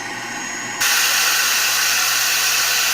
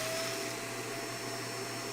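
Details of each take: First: Shark vacuum with a suction problem, just switched on: a loud steady airy hiss over the motor hum as air escapes through the spring-loaded suction relief valve, opened by a clog. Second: Shark vacuum after an obstruction was cleared from the hose: smooth, steady motor whine with an even rush of air and no whistling or choking; normal operation with suction restored.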